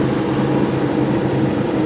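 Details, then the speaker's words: 1985 Buick Riviera with factory Olds 307 roller-lifter V8 and computer-controlled Quadrajet carburetor, cold start after five half pumps. Quiet, smooth hum on high idle with no ticks or misses; normal cold-start fast idle. "I know it's kind of hard to hear because it is a quiet car. You can hear it's on high idle right now."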